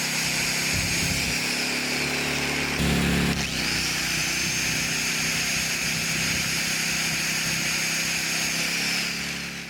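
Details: Honda EZ1800 generator after carburetor cleaning, new fuel line and fresh 91 octane fuel: catches within seconds and runs a steady, even hum of constant pitch; normal running, later set to 3600 rpm.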